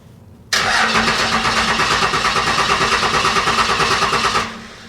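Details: Abandoned 1995 Dodge Cummins 12-valve P-pump diesel that doesn't run: even starter cranking, about three compression beats a second, never firing. Owner suspects a bad battery connection; fuel solenoid gets 12 V and holds, air possibly in the fuel lines.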